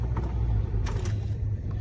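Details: 2002 Nissan Altima with a replaced engine that idles high: low engine rumble rising and falling slightly while creeping at idle; idle surge, to be addressed with an idle relearn after checking for vacuum leaks.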